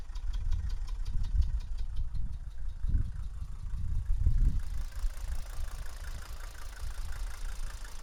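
Low, lumpy diesel idle with occasional deeper chuffs from the exhaust; something sounds off, but the cause can't be pinned down by ear.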